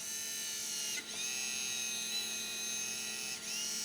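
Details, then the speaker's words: Sony/Apple MFD-51W-03 800k 3.5" floppy drive, cover and eject gear removed, after cleaning gummed-up eject contacts: thin, steady high whirr of the tiny eject motor spinning with brief dips when the switch leaves 12 o'clock; normal. "But when I turn this off 12 o'clock, this will start spinning. That's normal."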